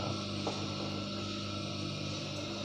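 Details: Water pump motor removed from pump, previously not starting, now wired on bench drawing about 0.6 A: even hum with constant tones, no knocking, rattling or grinding; motor running smoothly.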